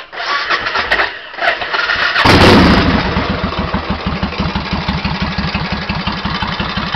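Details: 1991 Suzuki VS1400 Intruder S83, unknown true mileage: starter whirs, engine catches to a sharp steady metallic tapping about three a second, like hammering, louder on the other side and speeding up with rpm; internal knock, cause unknown.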